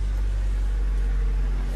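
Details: Honda Civic EK after fuel tank replacement to cure bogging and bucking from fuel surge: engine starts and settles into a steady, even idle with no stumbling or surging, nearly empty of petrol.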